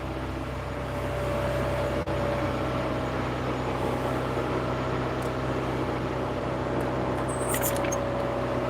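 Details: 40-year-old Toyota MR2 just started cold, out of gear: steady, even, slightly high idle with a smooth hum and no knocks or misses, coming down as it warms; cold fast idle.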